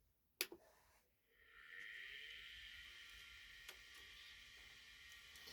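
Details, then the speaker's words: Custom Atari STe external SCSI case with two Apple-certified Quantum hard drives (40 MB and 200 MB): click at switch-on, then a whine rising over a second and settling into a steady high hum; normal drive spin-up. "so that noise you can hear there is the two quantum hard drives that i've got in there one's a 40 meg one's a 200 meg both are apple certified both came out of old apple macintoshes"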